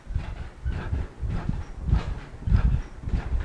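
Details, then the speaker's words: Cellercise rebounder previously squeaky, after fix: even soft thumps about a hundred a minute as someone bounces outdoors, no squeak or creak; now running quiet. "it's it's so much more quiet and if I put it all even on the even surface here it's still getting quiet is not quite to this point yet but it will be"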